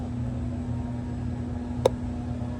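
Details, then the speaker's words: Ford Econoline with code P0446 and the tank pressure sensor reading a good 1.43 V: engine running, the EVAP vent solenoid is actuated and gives one crisp click, so it receives its signal; a smoke test follows. "So, now let's move on to the vent solenoid. So, I actuated the vent solenoid and I was able to hear it clicking."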